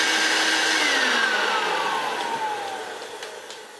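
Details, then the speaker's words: Hoover Turbopower U2798 vacuum, newer-style motor, run bare with no bag during spares teardown: thin, piercing whine sliding lower as it coasts down; motor runs but sounds harsh. "It's not the worst running turbo power motor I ever heard. It is however a horrible sounding turbo power motor because it's a bit more modern."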